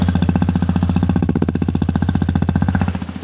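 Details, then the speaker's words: XPulse 210 in neutral, just after engine head replacement for a strange engine noise: even, steady single-cylinder thump at about four beats a second, no knock or rattle; the noise has completely changed, a healthy idle. "So complete change ಆಗಿದೆ ಗುರು noise complete change ಆಗಿದೆ."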